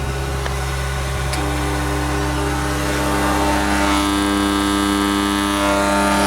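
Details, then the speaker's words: Non-running AC condenser unit, likely cycling on high pressure the day before: loud, steady harsh welder-like buzz; contactor cooked, not the compressor; contactor and overloads replaced. "Yeah, something not right with that contactor. Pop the cover off. We are better. So it's the contact. He's seen better days. Better it's the contactor humming and not the compressor."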